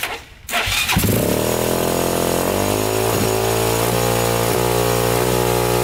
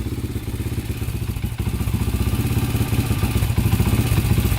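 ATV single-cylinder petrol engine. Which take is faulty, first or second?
first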